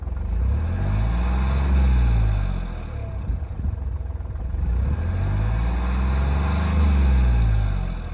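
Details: Hyundai Matrix turbo, over 203,000 km, after turbine replacement and oil change: two clean, even revs climb smoothly and fall back to steady idle with no whistle or stumble; the whistle and smoke are fixed.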